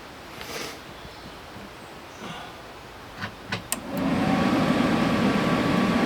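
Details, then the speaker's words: Dometic RV furnace after bad sail switch repair, tested on truck without flue: a few sharp igniter clicks, then a steady rushing roar as the burner lights and stays lit; igniting properly. "There we go. She lit. She stays lit."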